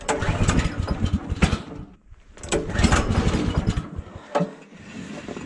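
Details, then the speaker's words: Woodland Mills HM130 sawmill, 14hp Kohler pull-start, choke on, cold start at -26°C: ragged sputtering bursts that die away, won't catch and stay running; owner normally uses starting fluid/ether at the air filter intake; struggle continues. "okay truth be told I normally get a little bit of start in fluid or ether just give her a shot right near the intake the air filter what okay well this struggle continues"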